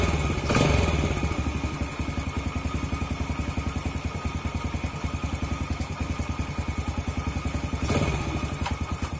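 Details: Yamaha Jupiter Z after clutch repair for a knock on gear changes and on throttle opening or closing: steady, even single-cylinder putter with no knocking from the clutch side; normal idle.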